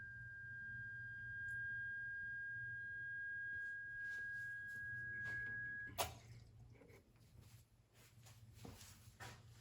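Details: Rancilio espresso machine switched on in the morning or after resting several hours: a steady mid-pitched hum over a low drone for about six seconds, then it cuts off; support suspects an air bubble escaping, and flushing with water is the planned fix.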